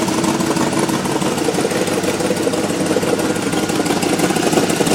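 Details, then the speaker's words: 2003 GMC Yukon running with no check-engine light on: a steady engine note with a rough, uneven rasping pulse about three per second over it. The exhaust noise is of unknown cause and the owner is trying to identify it. "So this is my 2003 Yukon. It is making a strange sound."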